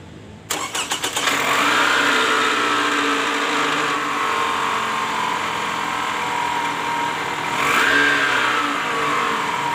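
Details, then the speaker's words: 2010 Toyota Camry ACV40R with 2AZ-FE petrol engine starts and runs with a harsh whirring gear whine that rises with a brief rev: balancer shaft is loose with worn gear surfaces, leaving play against the crankshaft gear. "Nah pada kasus Kali ini terjadi bunyi mesin kasar ya bunyinya sangat kasar nah ini yang diakibatkan oleh balancer shaft ya"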